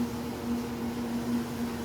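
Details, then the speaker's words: Kenmore dryer after replacing belt and tensioner, first test run: quiet steady hum with a faint even tone, no squeal or dragging; much quieter than before, when it squealed and dragged. "now it should start up nice and quiet wow that sounds different"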